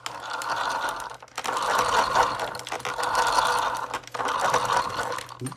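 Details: Traxxas X-Maxx RC truck with GPM cush drive eliminator, Castle 1100kv motor, newly set mod 1 pinion gear with slight slop; short whirring bursts with rough mid-pitched whine, not sounding perfect, gear mesh suspect.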